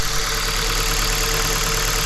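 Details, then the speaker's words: Hyundai i30 estate idling after coil swap between cylinders: lumpy, uneven beat with a recurring dull stumble; misfire moved with the coil from cylinder one to cylinder two, so the ignition coil is faulty. "czyli mamy winowajcę winowajcą jest ta cewka ona była wcześniej na pierwszym cylindrze"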